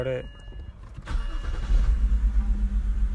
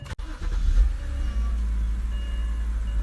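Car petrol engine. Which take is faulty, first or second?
first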